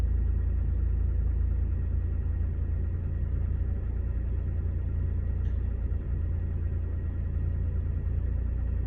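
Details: 2011 Scion tC, 65,000 miles, petrol engine running: dull, somewhat uneven knock about three to four per second under the low rumble; engine knock, source unknown.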